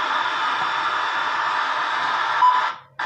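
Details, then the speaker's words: Double-DIN car head unit after repair, bench-tested with a makeshift antenna: steady crackly static hiss from the speaker that briefly cuts out near the end, then returns while tuning bands. Audio output restored. "Nah, mantap. Ini udah muncul suara ya. Nah, suara ini yang kita cari nih. Ini ada suara kresek-kreseknya."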